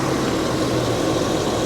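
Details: 2008 Cadillac Escalade V8, warmed up with the cooling system now holding pressure and no leaks after repair; steady, even low rumble at warm idle with no knocks, ticks or misses; normal warm idle.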